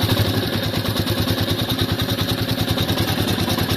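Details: New Royal Enfield Meteor 350 idling: loud, steady metallic ticking over the single-cylinder thump; the service centre says it is tappet noise.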